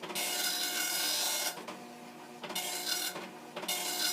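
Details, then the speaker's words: Commodore NX-1000C dot matrix printer self-test, bold lines struck twice, regular lines once and audibly faster: high buzzy rasping bursts per head sweep with short pauses between passes; healthy, printing normally, ribbon good, pins firing. "But I can see it's doing some things in regular print and some things in bold print, which means it typically goes over it twice. So, now it's only going over things once. You can hear it's faster."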